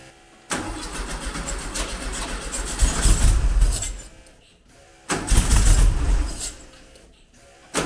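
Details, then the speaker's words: Classic car with Weber IDF carburettors, first start after modifying the idle jets to stop them blocking and adding a brake-booster vacuum take-off. It fires quickly, revs cleanly twice and drops back to a steady idle, a normal start. "okay so uh I'm gonna just open the door and we'll crank it up and see what happens"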